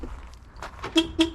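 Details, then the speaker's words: 981 Porsche Boxster with dead front horns; the separate alarm horn gives two short, clean toots about a quarter second apart, clear steady tone. Alarm horn is unrelated to the front horns: normal alarm horn. "there are two horns up front, and there's separate horn for the alarm. So if you think the alarm works and is something wrong with something else, in reality you have three different horns."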